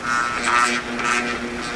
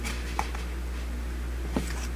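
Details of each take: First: Old window fan motor that had overheated (coils scorched orange), powered with top bearing just installed: steady mains hum with faint buzz, rotor tries but won't spin because bearings are misaligned; coils confirmed good, bearings possibly heat-damaged; stalled motor hum. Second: Old three-fan window fan after repair, one fan had stopped spinning, blades lifted to stop rubbing: low, smooth steady drone with only a few stray clicks, no grinding or squeal, much quieter than before; all three spinning, normal running.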